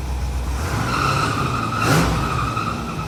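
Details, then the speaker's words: 1966 Cadillac Fleetwood V8 started from the key: a steady high squeal rides over the engine just after start and swells briefly with revs; a little drive belt slippage. "it sounds good so a little bit of belt slippage and turns off with key too"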